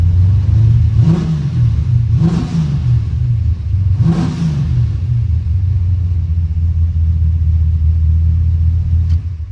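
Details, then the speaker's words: Big block V8 Monte Carlo on a test drive after steering work. Deep rumble swells and eases three times under throttle, then settles into an even steady drone with no knocks; it sounds excellent and drives well. "This little big block here, that sounds excellent. Cruise went great. This thing drives."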